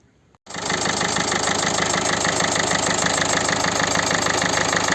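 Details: Warm Peugeot 1.6 HDi diesel idling: rhythmic chuffing clatter, about three pulses a second, from a compression leak past an injector seal with carbon buildup; fixed by replacing the seal and copper washer and re-torquing the injectors.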